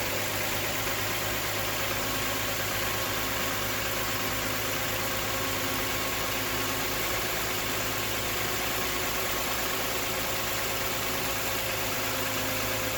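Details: 2012 Toyota Sienna 2GR-FE after replacing only the belt tensioner pulley: steady, even idle with a smooth constant hum and no squeal, chirp or rattle from the belt side; healthy belt drive.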